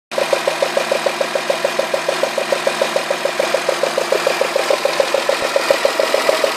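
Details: Citroën Xantia V6 at idle with sharp, even ticking about three and a half a second, sounding like bearing or hydraulic lifter damage; cylinder 1 plug well flooded with oil spilled at the last oil change, so the spark likely arcs; quiet after cleaning.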